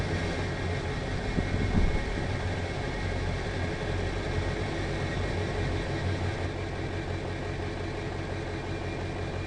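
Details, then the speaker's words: Ford E350 Econoline 6.0 Power Stroke diesel van at cold start after a jump from another vehicle, idling steadily with no smoke; it has a cylinder 5 misfire code, with hesitation and power loss above 40 mph. "never had cloud of smoke out of exhaust pipe even on cold start it sounds good takes off nicely"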